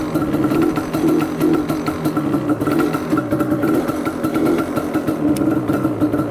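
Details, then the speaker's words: Banshee two-stroke quad, warming up and running a little rich, won't rev out: steady muffled, flat buzz that bogs instead of climbing, because the parking brake was on, which on this quad acts like holding the choke on. "Sounds like the choke is still on. He's got that in there, which is like keeping the choke permanently on, which is kind of weird."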